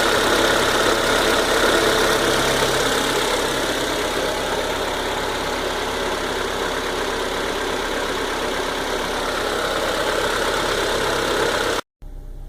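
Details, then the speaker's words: Citroën C4 VTR at 73,000 km, started after replacing the squealing alternator belt plus timing belt and water pump; smooth steady idle, even hum, no belt squeal or chirp; normal idle. "eu vou ligar o carro e vocês vão notar a diferença do do que estava antes da partida"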